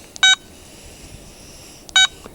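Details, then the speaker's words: Garrett ATX pulse induction metal detector, stock 12x10-inch DD coil, sensitivity 10, over hot iron-rich ground: two crisp short beeps about 1.7 s apart, then quiet once ground balanced; normal ground balance tones. "you're going to hear [Music] it takes a little longer for this machine I'll show you when it gets quiet there you go not a peep she's ground balanced see quiet quiet"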